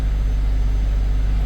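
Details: Nissan Sentra after its no-start was repaired (battery, starter, ignition and wiring diagnosed), first start after the fix: short, steady low rumble with an even, unbroken rhythm and no misses or knocks, a normal idle.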